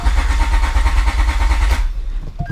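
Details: Honda J-series J32A3 during compression test, spark plug out, compression gauge on cylinder 1 (reads 180), small battery: even fast chugging under two seconds with no firing; normal cranking, fuel disabled.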